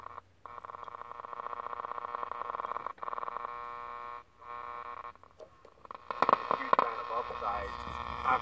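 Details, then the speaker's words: 1967 GE clock radio, AM reception erratic: audio cuts out and jumps between tones and chatter with dropouts, second half of the band dead; volume control suspected to need cleaning, cause not confirmed. "ah sure I the second half of the band is dead I'm also not sure why it's doing that"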